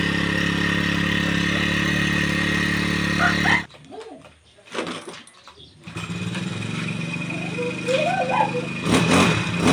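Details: Brushcutter that would not start, after replacing the fuel pump on the carburettor, priming the hose and starting on choke: engine catches and runs on with a steady, slightly uneven beat after a brief quiet spell, then settles and holds its speed.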